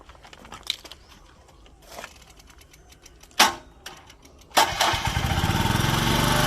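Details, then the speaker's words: Komatsu PC01 mini excavator, Honda engine, 1,116 hours, weak battery that doesn't hold charge: brief crank catches at once, then steady even run; starts easily, healthy. "ติดง่ายนะครับกับเครื่องอ่ะสตาร์ทโอเคับเครื่อง"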